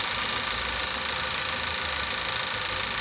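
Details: 2017 Nissan X-Trail T32 non-hybrid, complaint of rough running and hard starting (P0335 crank sensor), plugs recently replaced elsewhere; warming up: steady, even idle with smooth hum, no misses or knocks; normal idle.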